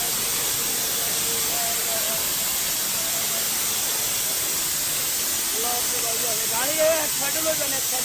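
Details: CNG vehicle suddenly leaking gas: loud, steady, high-pitched rushing hiss held unbroken for several seconds with voices behind it, pressurised gas escaping from the CNG system.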